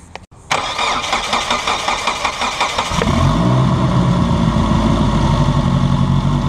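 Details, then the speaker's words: Turbocharged race car engine after new O-ring on a leaking fuel injector; cranks about two and a half seconds, catches cleanly, settles into steady even idle, no fuel leak; normal start and idle. "no leakage nothing leaking it's alive look at that turbo spinning it sounds pretty mean"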